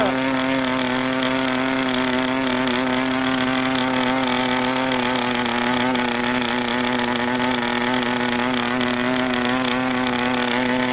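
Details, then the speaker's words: New PAW 40TBR model diesel on break-in fuel mix with a 12x5 Grish prop, clamp mount, deliberately run rich and under-compressed, a little warm; started almost immediately. Steady high-pitched buzz with a slight waver, soft rich burble, no misses. "And under compressed again. It started almost immediately."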